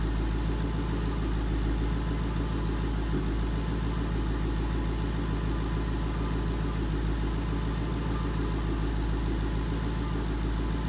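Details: 2011 Mustang GT 5.0 Coyote V8 with Roush exhaust at idle after a rod bearing and rod bolt replacement: steady, even low rumble with slight room echo, no ticking or knocking; the bearing knock is fixed.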